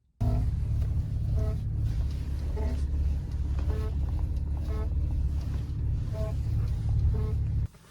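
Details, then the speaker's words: Car idling steadily while the steering wheel is turned, with short rubbery squeaks about once a second from the steering column. "What's up guys, Dylan from Redline here, and today we are going to be talking about how to fix a squeaky steering wheel."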